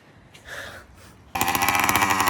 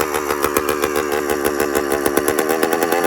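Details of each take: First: Newly built 100cc two-stroke motorized bicycle kit, warm, idle set by adjustment: after a quiet start, a loud, buzzy, steady run. Sounds healthy, just very loud. Normal running. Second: Newly built 100cc two-stroke motorized bicycle kit at idle: rapid popping whose speed keeps rising and sagging instead of settling. Hunting idle; owner unsure why the RPM fluctuates.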